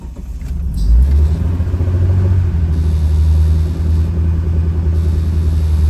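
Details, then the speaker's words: 1986 Dodge Daytona Turbo Z Shelby after turning in the bottomed-out idle screw: deep, slow, lumpy rumble; idle slightly better than before but still really low. "idle's really low but it's not super obviously"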